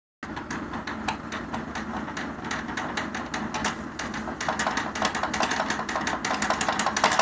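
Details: Chair that sounds like a tractor: a rough rumble with loose, unevenly timed knocks about three a second from the chair's drive; cause unclear.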